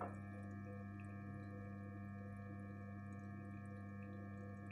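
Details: Gorenje 8 kg inverter washing machine, 1 year old: quiet constant pure hum at one pitch with a few steady overtones, no knocking or rubbing; strange noise, source unclear.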